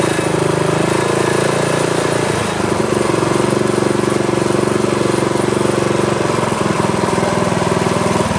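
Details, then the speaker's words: Craftsman tiller with LCT engine, seized after sitting 2-3 years, freed with PB Blaster, carburetor, fuel lines and tank cleaned; small single chugs at a steady, even beat with no knocking or misses: normal running. "all right so it's working the sucker was frozen before but that uh little shot of PB Blaster did the trick"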